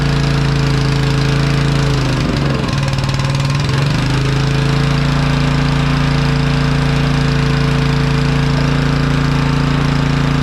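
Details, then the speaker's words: Honda EG1900X generator (Honda GX140 petrol engine), stored over 10 years with stale fuel, first start after sitting: steady low drone dips and stumbles briefly then recovers; runs only on choke, likely due to the old fuel. "so it's only running on choke which is expected I mean that fuel is pretty Grim so that doesn't surprise me really but it's run that's that's a good sign"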